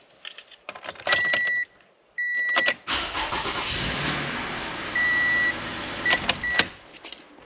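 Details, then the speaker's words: 2015 Toyota Sienna: door chimes and keys, then a hesitant, stuttering crank before the engine catches, as a weak battery no longer holds enough charge to deliver cold cranking amps. "did you see that initial stutter uh that's exactly what happens when your battery isn't able to hold enough charge and it doesn't quite Drive enough of that cold cranking amperage to turn your vehicle over"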